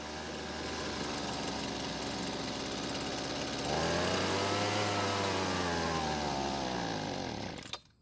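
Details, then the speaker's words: Husqvarna two-stroke leaf blower buzzes, wavers, then cuts out as soon as the carburetor is moved to partial choke; running lean, not enough fuel to stay running. "so as soon as I put the carb into partial choke there's not enough fuel to keep the engine running"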